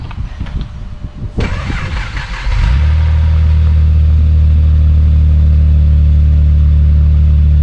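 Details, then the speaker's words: Neglected Vauxhall VXR V6 turbo petrol, heard near the wing: cranks and catches, then rough idle with a loose metallic rattle, the infamous timing chain rattle; water pump and timing chain due for repair. "What timing chain rattle sounds like. Probably hear it better down here at the wing."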